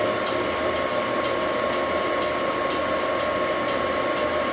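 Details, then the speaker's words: Aronson HTS20GE 20,000 lb geared elevation headstock-tailstock welding positioner running rotation: steady gear whine with fast even ticking. Normal geared drive rotation. "all runs nice and then up and down right down here and you'll hear the clicking the relays"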